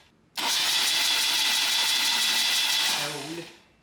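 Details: Freshly restored 1977 BMW R75/7 on the work table with the ignition coil unplugged: about three seconds of even, high-pitched whirring crank with no firing, the engine spinning freely while oil flow to the rocker arms is checked. Normal starter cranking.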